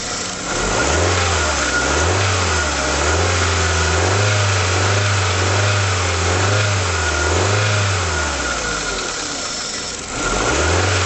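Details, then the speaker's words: Rover 75 petrol engine revved in repeated blips while still pretty cold, running rough as if on about 3¾ cylinders; light rattles as revs fall when throttle is lifted off, said to get worse once warmed up. "As I say, it's pretty cold yet, so it gets specifically worse once it's warmed up. You can hear there's a few rattles when you take your back off the throttle a bit."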